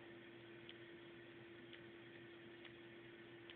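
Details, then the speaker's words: DP G3 paintball marker, powered on: faint crisp solenoid ticks over a steady electronic hum with each trigger pull, as the trigger passes the sensor. The solenoid is firing normally. "so yeah you can hear here when I click the trigger the solenoid you can hear it kind of clicking"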